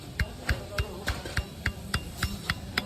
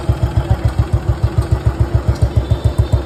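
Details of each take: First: Old Royal Enfield Bullet Machismo 350 AVL engine, cylinder removed, crank rocked by hand: sharp knocks, about three and a half a second, showing worn main bearing play; crankshaft play knock. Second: Restored Bullet Machismo 350 AVL, engine rebuilt after seizing from water, started with no battery fitted. A slow, even thump of about 3.5 beats a second with a deep, soft exhaust note: a quiet, healthy idle.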